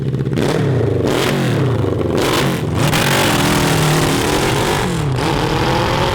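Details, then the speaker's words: CB750 750cc cross kart engine with drilled jets and emulsion tubes on stock carburetors and homemade air pod; revs but stumbles and cuts out under high throttle above 7,000 rpm, carburetor breakup, worse than before. "crap we made it worse we made it worse okay well it's a good thing we have spare jets yeah and emulsion tubes"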